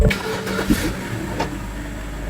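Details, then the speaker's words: BMW 5 Series after new coil packs and spark plugs fixing stored misfire code; cranks briefly, catches at once, smooth even idle, no warning lights: normal start and idle. "Sounds good, no lights. Looks like we did something good for the car."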